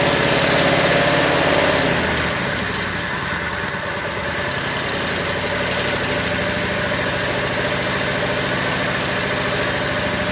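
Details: Craftsman lawn tractor small single, cold start after not running over a year, choked, battery charger on jump start: a brief higher run settles into a steady, even putter, no misses or knocks; healthy idle, though owner suspects it may be running low on gas.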